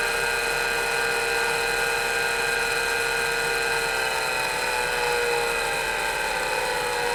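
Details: MiniScribe hard drive in a 40-year-old IBM 5161 expansion unit on an IBM PC 5150, mic close to the drive: loud whine with several drifting tones as the spindle varies speed on a slow spin-up, then steadies.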